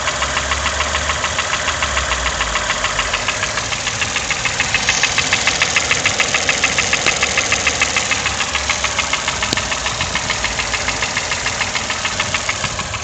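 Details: Toyota 1KR-FE engine knock at idle despite new timing chain, tensioner and guide; sharp, very regular tapping about three and a half times a second over a steady idle, cause unknown.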